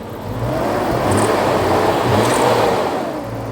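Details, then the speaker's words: 335,000-mile BMW E34 M5 S38 engine, first start after repairs, climbs and falls back smoothly with an even steady note and no stumble or misfire; clean, healthy free revving. "oh it runs perfect smooth oh yeah oh it actually revs up"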